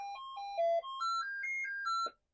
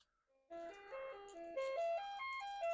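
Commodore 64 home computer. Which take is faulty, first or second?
first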